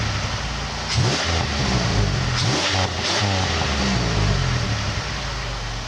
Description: I finally got the exhaust leak fixed right and got grand prix gxp tips put on. Here's what it sounds like.